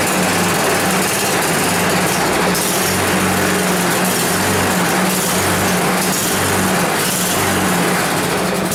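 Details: 10 HP Tecumseh Yard Machines snow blower that had sat a long time: the small single-cylinder engine chugs steadily with a rapid, even exhaust beat and some pulsing. It fires and keeps running; normal running.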